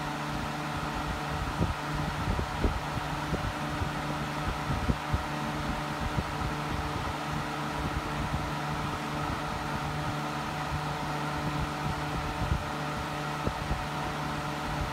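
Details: Hunter 12" table fan (special edition, April 2004) on speed 3: steady loud whooshing hum with an unchanging low drone, loud like an old box fan but moving lots of air; cause unclear.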